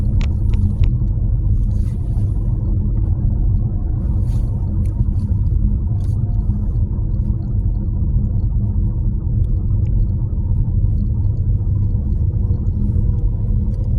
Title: nissan qashqai 1.2 rattling noise .before fixed